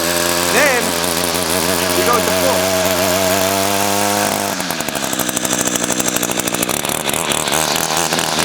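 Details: Echo 2-stroke weed trimmer, unused for several months, started cold with choke and primer bulb: a wavering buzz catches and picks up, then settles into a crisp, even two-stroke crackle under throttle; normal running after cold start.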